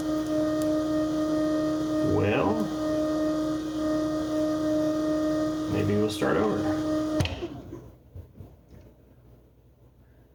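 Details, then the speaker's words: First start of a 6.2L L86 LT Gen V V8 with a Holley Terminator X, E85 flex fuel and a remote Moroso electric water pump kit: a steady even electric hum with a faint whine cuts off cleanly; the pump is running normally. "if you hear that humming that is the electric water pump up front"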